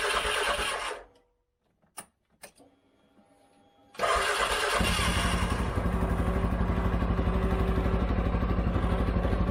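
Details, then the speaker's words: 2013 CFMOTO Z Force 6 after fuel pump change, filling filter and purging air: brief crank, false catches, pause, then fires to a steady rapid idle; owner suspects low fuel in tank. "I don't think there's much fuel in the fuel tank. Get the air out of it."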